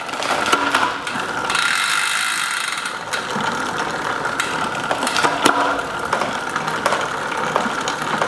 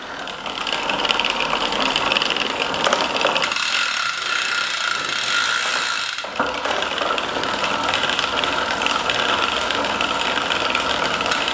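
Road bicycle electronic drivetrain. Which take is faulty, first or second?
second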